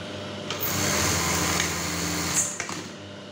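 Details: Brother 814 buttonhole sewing machine after a screw was adjusted; a short whirring run winds down and halts with only a soft click, no heavy bang, so the stop is now smooth.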